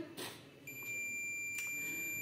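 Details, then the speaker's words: Microwave oven thermal cutoff checked with a multimeter on continuity: a short tap, then a steady unbroken high beep, showing continuity, so the thermal cutoff is good. "तो ये अपनी continue बढ़िया दिखा रहा है कैसे भी props लगा कोई दिक्कत नहीं है इसमें"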